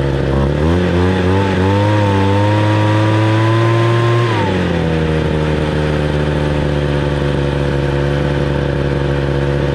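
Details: 26cc two-stroke gas engine: picks up revs smoothly for a few seconds, then drops back to a steady, even idle without stumbling; healthy running, and the engine is pretty hot afterwards.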